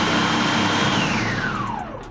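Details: Commercial food processor after sensor repair: strong even motor whir falling smoothly to a stop, no grinding or rattle; processor runs normally.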